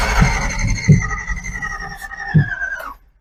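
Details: 283 small-block Chevy in a Ford, revived after decades sitting: cranks with only scattered uneven firing thumps that never catch; ignition timing out, distributor bushings worn, points not opening and closing properly.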